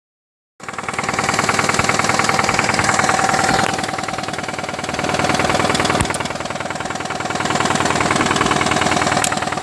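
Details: 2005 Nissan Altima 2.5 idling with a steady knock about three beats a second; the engine starts, doesn't run hot, but white smoke comes from the tailpipe.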